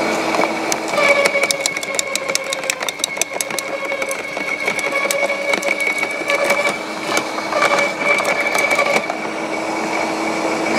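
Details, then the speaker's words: LawnMaster 2800W quiet electric garden shredder, blade-to-plate gap set: steady motor whine under irregular crackling and snapping as thin branches self-feed without the plunger; cutting cleanly and normally. "super impressed with this lawnmaster Garden Shredder I didn't really know what to expect from it but as you can see there it just it was just self-feeding the branches in"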